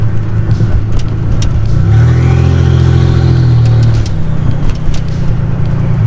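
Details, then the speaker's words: Nissan 300ZX turbo convertible (~200 hp) on a test drive with no exhaust fitted: a deep booming roar swells hard as revs climb under load, and the turbo is heard winding down. Very loud and raw because there is no exhaust. "God, I love the best part about not having an exhaust is that turbo winds down."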